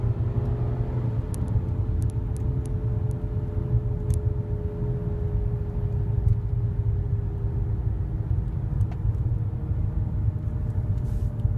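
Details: 2008 Nissan Altima under acceleration: low steady airplane-like drone with a faint hum over road rumble, louder when accelerating and softer when slowing; owner suspects the CVT transmission.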